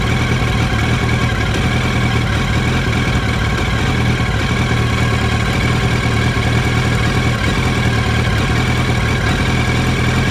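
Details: 2007 Yamaha R1 four-cylinder with recently developed rough idle, uneven drone with occasional stumble like a missing cylinder; spark plugs replaced, original ignition coils still fitted.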